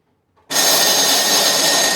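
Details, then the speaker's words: Curb-find snow blower electric start plugged into an extension cord, button possibly sticking: steady high whir from the starter with no compression chuffs; starter motor spins but the engine is not cranking over. "Well, is that even cranking over? I don't think it"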